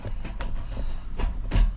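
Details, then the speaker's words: 2017 Toyota Hilux Workmate after clutch replacement, gear lever reinstalled: a run of solid clicks and clunks as the lever moves through the gates, gears engaging cleanly with no grinding; normal gear engagement. "see you can hear the gear changing good"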